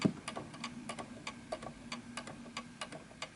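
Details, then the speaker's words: 1920s 8-day Napoleon hat antique mantle clock sitting on an uneven surface. Quiet ticking with the tick longer than the tock, fading as the clock keeps stopping. It is out of beat and needs calibration adjustment. "Notice that the tick is longer than the tock, and at some point this will actually stop."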